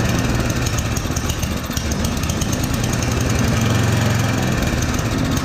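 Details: Yard Machines 8hp two-stage snowblower, unserviced for years, 45 psi compression, primed and choked; uneven idle with revs rising and falling every second or so: surging idle, carburetor idle circuit most likely clogged, carb to be cleaned.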